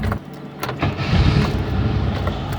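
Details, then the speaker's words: Chevette on a 12 °C morning, starter motor makes an intermittent, random noise; scattered clunks and rough whirr while cranking before catching, traced to a worn starter drive bushing. "vim aqui na oficina hoje a tentar arrumar o barulho está fazendo um chevette barulho no motor de arranque tenta ligar pra mostrar pra vocês faz um barulho mas é aleatória não é toda hora"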